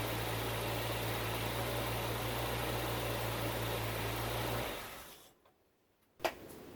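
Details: Bitter SC (SC 377), Bosch L-Jetronic fuel injection, after fixing a faulty temperature-sensor wire and fitting a new injection harness. Smooth, even low idle with no misses or knocks for several seconds, then switched off: it runs properly.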